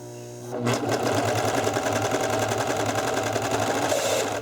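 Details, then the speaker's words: Serger after cleaning and oiling, stitching fabric; fast, uneven mechanical clatter persists, worse at speed, cause not yet found, owner suspects it may need to work its way out. Abnormal running noise. "no it's still if you hear that noise I'm trying to figure out what that noise is and it might just need to work its way out"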